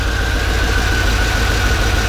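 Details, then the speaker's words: 1992 Corvette V8 at idle with the microphone near the exhaust, after the exhaust repair and with new cats: lumpy, uneven beat with occasional stumbles, clearly a misfire; earlier there was a clogged cat and O2 issues. "absolutely absolutely a misfire no question about it"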